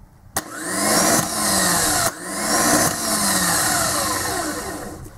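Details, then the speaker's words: Mitsubishi Pajero/L200 2.5 TD 12-tooth aftermarket OEM-replacement starter bench-tested with power to main and signal terminals: two bursts of rising whine as it spins freely. The pinion comes out but slips instead of engaging, a bendix fault. "we can hear that the ster is working away and just to show you guys we're going going to do it again and as you can see the pinion comes out and Spins away it it doesn't actually dis engage it's just the fact that this pinion is slipping that's where the problem arises from"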